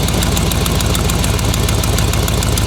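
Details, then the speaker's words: 2011 GMC Sierra 1500 with a 6.2L L92 V8 swapped in from a 2007 Escalade, idling: a sharp tick in time with firing, an exhaust manifold leak, likely the right side. Cheap fabric gaskets probably blew on a full-throttle pull; being replaced with multi-layer steel gaskets. "So you can hear that tick. Definitely got a bit of a leak on the exhaust manifold here."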